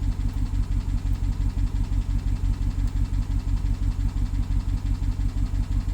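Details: BMW 750Li with N63 engine, after fuel injectors and high-pressure fuel pump were replaced. Low uneven idle pulsing about 87 a minute with a faint tick; misfire with ticking, owner suspects timing chain, unconfirmed.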